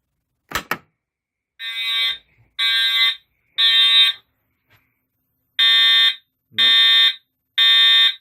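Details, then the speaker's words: New fire alarm system test after pulling the station: loud horn blasts about once a second with uneven gaps; horn sounds fine but the strobe only flashes intermittently, cause unknown. "oh yeah you get the intermittent flash because of this yeah see it goes once in a while when it wants to"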